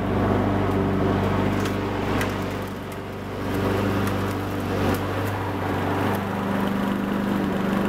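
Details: Honda Harmony 215 mower engine, warm, after a third carb cleaning; the low-end idle mixture screw broke and could not be cleaned. Steady, even low drone with no misses or surging; normal running.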